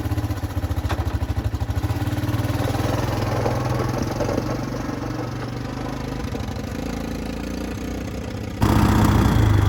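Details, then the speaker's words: Original one-owner 1984 Honda ATC 200ES Big Red three-wheeler after 20+ years sitting, carburetor cleaned and electrics sorted: small single-cylinder engine putters with a steady, even beat and no knocks or misses; runs pretty good, normal running. "I'm gonna let you guys go ahead and hear how it sounds, and then we're gonna take this thing for a test drive. So it runs pretty good."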